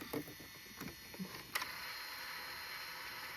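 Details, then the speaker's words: JVC GR-SXM330 Super VHS-C camcorder after transport rebuild (fix for clicking/E03 error): a few soft mechanism clunks on mode change, then quiet even whir with no clicks; normal tape transport operation. "This is after I rebuilt it. And you can see there's the picture. It should be nice and stable once it does the auto tracking. And listen to that. There is absolutely no clicks."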